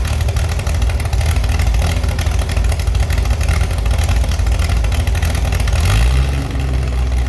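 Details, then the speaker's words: Restored Chevy SS straight-six after lowering the fuel level: deep, even idle burble picking up crisply on a throttle blip, no knocks or misses; runs healthy. "Yes, very good, I have already managed to revive the Chevi's engine again. You can hear it and it sounds very good. It even has a very good reaction."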